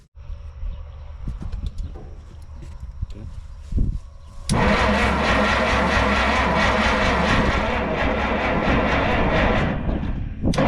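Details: 1962 Minneapolis Moline G704 propane tractor, not run for years, spark confirmed, hint of fuel: after some clatter the starter spins the engine at roughly three beats a second without ever firing; crank no start.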